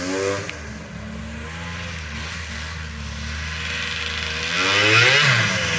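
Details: Polaris triple-cylinder two-stroke modified snowmobile ("Wet Basement") after full rebuild, skid just reinstalled, fired up: crisp rev climbs cleanly and drops back without stumbles or rattles; normal running, strong and healthy.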